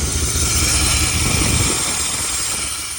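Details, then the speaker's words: 1994 Chevy Silverado C1500 5.7L 350 V8 idling in reverse with foot on the brake: a hissing, rattling whir from the badly rusted AC compressor sits over a steady engine note, loud enough to hear from inside the garage. "do you really hear that AC that's the AC making all that noise"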